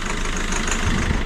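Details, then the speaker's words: Citroën C4 Grand Picasso diesel running about five minutes after five months stopped, heavy white smoke, EGR cooler bypass stuck open: lumpy idle with heavy irregular clacking; owner attributes the knock to the rocker arms at the back. "mais là il tourne depuis un petit moment là pour moi il claque. Le bruit qu'on entend c'est du à directement les culburs derrière."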